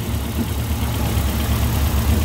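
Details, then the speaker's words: 1982 Toyota Corolla TE72 with an old Weber carburetor missing bolts and a dirty fuel filter: a low, lumpy, uneven idle under a hiss. It runs rich, is hard to adjust and is due for a new Weber. "it's running kind of kind of rich kind of weird and it's really hard to adjust just all jacked up"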